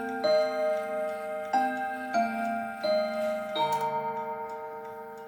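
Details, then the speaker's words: October 1950 Seth Thomas Northbury 1W mahogany mantel clock, No. 124 movement, heard from the front: clear bell-like Westminster chime notes ring out in sequence over a soft steady tick, not overpowering; running and chiming normally. "I'll let you hear it from the front, and then we'll turn it around. It's a nice sound, it's not overpowering."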